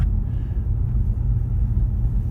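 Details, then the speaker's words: 2015 Ford Mustang 2.3 EcoBoost on low-profile tyres, owned about a year, while driving: deep steady droning road hum with nothing sharp on top. Owner doubts the tyres and suspects a wheel bearing, unconfirmed. "I don't see how this could be the tires he's unless that's the way low profiles are supposed to sound"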